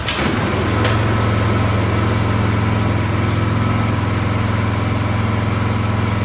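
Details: 26-inch Troy-Bilt snowblower with gas and good oil: the small engine catches and settles into a steady low putter on full choke but dies off choke; the carburetor is dirty and needs cleaning.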